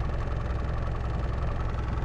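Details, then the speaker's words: Land Rover Discovery 1 diesel just after replacing a dead alternator: a steady, even, low diesel clatter at idle with no knocks, whine or misses; the battery light is out, it charges at 14.5 V and the rev counter works again. "Battery light's gone out. And we're charging at 14.5 volts. Rev counter's working as well."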